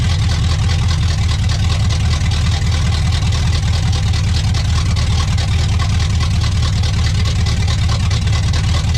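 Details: 1985 Pontiac Trans Am 350 small-block Chevy, first run after 7 years, warming up with no choke. Deep, steady V8 burble holding an even idle with no knocks or misses. Running healthy again.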